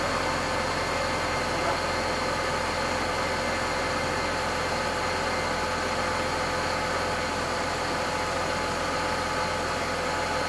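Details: Mercedes-Benz W124 E320 (M104 inline-six) after a DIY service with engine oil, automatic transmission oil, oil filter and air filter changed: a steady, even, smooth idle hum with no knocks, misses or ticks. It sounds healthy.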